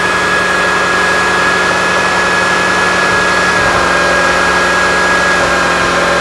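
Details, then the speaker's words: Temperature-related crank sensor fault, scoped with cam trigger: steady idle with a dense hiss, then unevenness creeping in as the heat-failing crank sensor signal goes erratic and the engine starts to misfire. "you can hear the misfire starting you start seeing the square waves getting all wigged out at the same time that's an awesome pattern"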